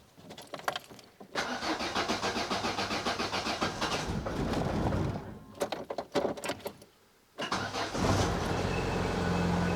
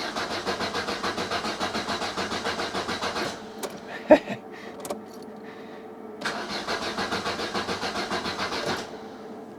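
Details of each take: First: 1990 Opel Kadett E being revived, first start after refitting parts with battery somewhat low: starter churns in bursts after the fuel pump primes, then the engine fires and settles to a steady, even idle with no misses; healthy start. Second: Opel Kadett petrol engine cranking in two steady bursts without catching; it ran fine on the drive over, and the owner suspects fuel is not being pumped.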